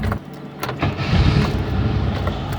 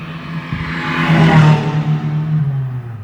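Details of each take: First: Chevette on a 12 °C morning, starter motor makes an intermittent, random noise; scattered clunks and rough whirr while cranking before catching, traced to a worn starter drive bushing. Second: Chevrolet Chevette after starter motor repair, cool 12 °C morning, battery reading 10.8 V: brief clean crank, engine catches at once, revs flare and settle with no grinding or clatter; starter noise fixed.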